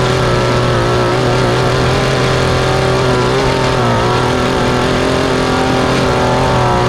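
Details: Mantis two-stroke rototiller after carb cleaning, new fuel line and spark plug, and high/low screws adjusted with limiter caps removed: smooth, even buzz holding steady speed with no surging or misses; runs cleanly.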